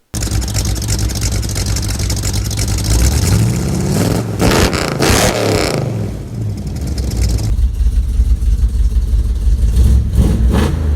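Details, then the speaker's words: 1967 Ford Mustang V8 with a newly welded exhaust, headers back to tailpipes (2 1/4 pipe, glass packs, stainless tailpipes): deep throaty burble swelling with blips and settling smoothly, no rasp or leak ticking; normal exhaust note. "Welded up a whole new exhaust, headers back to tailpipes. And it looks good, and it sounds good,"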